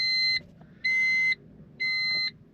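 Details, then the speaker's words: 2000 Honda Civic sedan, key turned on in driver's seat: three even high-pitched beeps about a second apart over quiet cabin; ordinary key-on chime. "let's turn our key on get our normal Honda"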